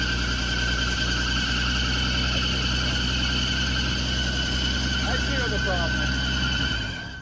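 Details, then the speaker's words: 1980 Ford F100 V8 after sitting outside for 20 years, first start. A loud steady high squeal is held over the idle until shutdown: belt slipping. It was first blamed on a stuck AC compressor, then they said it was not stuck, so the cause is unclear. "that uh belt noise is uh the fan belt because the ac is stuck"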